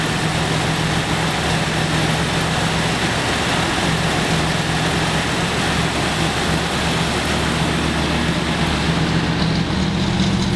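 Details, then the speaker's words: 1970 Dodge Challenger T/A 340 V8, first start after nine years in storage, not yet warmed up: catches and settles into a steady even idle with a smooth burble, no lifter ticking. "with the 340 up and running Nick makes sure this good oil pressure and listens for any clacking from the lifters."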